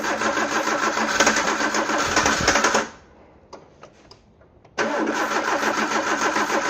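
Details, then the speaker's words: Peugeot 309: the starter churns about three and a half turns per second, pauses, cranks again, never fires. The camshaft-driven mechanical fuel pump needs high cranking speed to pump; the battery is low and petrol scarce. "Basically, you've got this pump that's driven off a load, normally off the camshaft. So you need the engine turning at a fairly high speed for it to actually start pumping."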